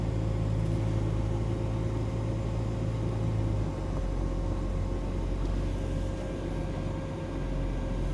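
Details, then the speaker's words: Range Rover P38 Bordeaux, sat in a barn 13 years, first start on a new battery; fires straight away, steady low rumble with a faint irregular tapping knock about three per second, believed to be the water pump. "But as you can see, it fired up straight away, although you can hear a knocking noise, which we believe is from the water pump."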